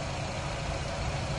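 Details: 2011 Nissan Rogue at idle during PicoScope coil-on-plug retest: steady, even idle rumble with no stumble or skipping beat; engine sounds smooth, though a bad coil wire set was found and will be replaced.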